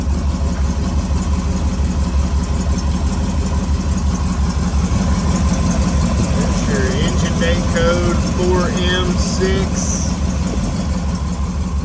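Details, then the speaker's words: 1965 Ford Mustang Fastback with 289 V8 A-code and 4-speed, just after starting: a smooth, even V8 idle with a steady low burble and no knocks or ticks. Engine is nice and quiet. Normal idle. "Engine's nice and quiet."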